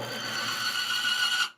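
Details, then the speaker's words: Bearing film-strength test rig with plain oil pumped over loaded bearing: harsh steady high squeal with scraping rasp suddenly cutting out as the bearing seizes at about 25 ft-lb; oil film broken down. "we're going to run this again and see how much more force it takes to lock up this bearing so I'm gonna go ahead and do that okay try it again about 25 roughly I'm gonna do it one more time"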